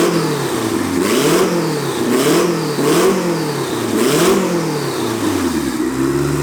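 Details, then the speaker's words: Quad-turbo Honda Civic build, no blow-off valve fitted: repeated engine blips, each ending in a rushing whoosh and flutter as the throttle snaps shut; turbo compressor surge. "there's no blow-off valve so we're gonna hear what compressor surge on for turbo sounds like"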